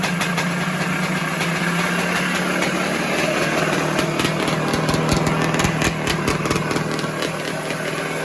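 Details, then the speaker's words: 1978 Yamaha YZ400E two-stroke motocross bike, ragged idle and blips: light irregular metallic rattle that grows with revs, also heard when kicking over; top end rattle, owner suggests a new piston and almost certainly the little end, source unconfirmed. "So I'm going to be honest, the engine is a little bit rattly. So you can hear it. You can hear it when you're kicking it over. It's like a little bit of a graunchy noise, and it's a little bit noisy when it's running."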